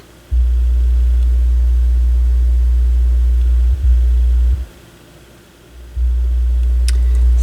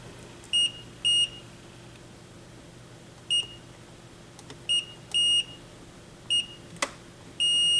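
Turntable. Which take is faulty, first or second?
first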